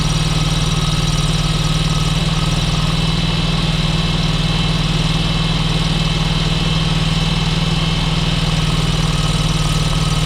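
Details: John Deere X585 mower engine at idle while checking the line under the pressure sensor: steady low drone with a slightly uneven pulse throughout; poor running, cause not found.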